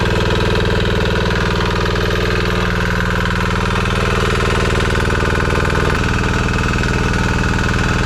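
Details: Amazon 196cc Chinese single-cylinder diesel belt-driving a 6-phase scooter hub motor as a generator, first loaded test run: even, steady thump, about four beats a second, holding pace under load. Engine running fine; some smoke, expected to clear once warm.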